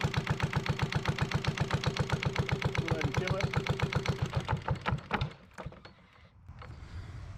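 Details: Yanmar 1GM single-cylinder marine diesel from a sailboat, running on a shop pallet while cooling passages are flushed with diluted muriatic acid: even thumping about four beats a second, then dying away, with no knocks. Normal idle.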